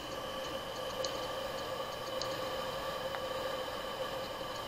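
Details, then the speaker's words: Hard drive that had a head transplant and was then shipped by post: a high spin whine with a sharp click about once a second, then it shuts itself off. The heads are failing and the drive is judged unfit for head replacement. "у этого винта все он выключился сам по себе слышите да просто wind pipe пощелкал подергал головой и выключился"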